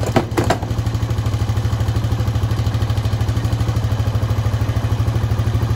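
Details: Honda Foreman 520 ATV after a fuel pump install, just started: a couple of knocks at first, then an even idle with steady pulses and no misses; sounds healthy.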